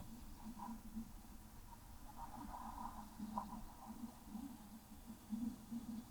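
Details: 1991 Talbot Express motorhome, engine off, while refilling coolant after resealing: quiet, irregular gurgling and bubbling as trapped air works up through the filler. Coolant air lock.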